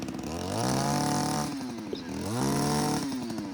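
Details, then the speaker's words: JCB petrol hedge trimmer, two-stroke, after fuel pipe repair, warmed up: revs up cleanly, drops back, revs again smoothly under blade load; idles nicely by itself, not much smoke, runs fine. "it's running fine by itself sticking over nicely not much smoke"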